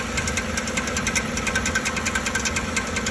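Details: 2013 Chevrolet Silverado 1500 5.3L with check-engine light on, knocking like a flywheel problem: light metallic ticking about 2–3 per second over steady idle as the starter drive gear stays extended, clattering on the flywheel; starter to be replaced.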